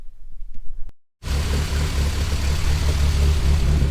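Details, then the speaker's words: Nova with three-inch stainless exhaust after idle adjustment: steady, slightly lumpy raised idle with deep burble; very rich mixture, 10.0 on the gauge; alternator charging, good oil pressure, noisy head. "it's idling at about a dozen RPM so a bit higher but it's fat as anything it's so rich it's 10-0 on the on the scale there so it's it's real fat"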